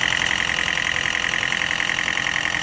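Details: Turbocharged car burning oil with blue smoke, dipstick shows no oil left: fast, even metallic ticking over a steady idle; engine noise, likely from oil burned dry, possibly via the turbo.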